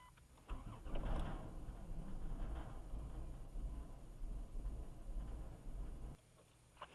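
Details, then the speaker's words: Caravan van that died in a parking lot, with rpm reported going up then back down, a quarter tank of gas: it catches, revs briefly, then sags and dies within seconds; won't idle, cause unclear. "So it's not idling. is a problem."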